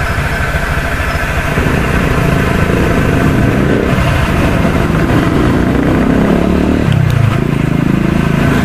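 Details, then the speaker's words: Honda Click V3 125i scooter at idle, parked outside, before opening the CVT cover: rough, uneven rattle over the engine beat; CVT noise that started faint and grew louder over time. Possibly worn rollers or belt, not yet confirmed. "si one click kasi medyo maingay yung pang so hindi ko kasi gusto yung ingay nung una mahina lang siya eh sa hanggang ngayon meron pa din pero mas malakas na yung tunog ngayon"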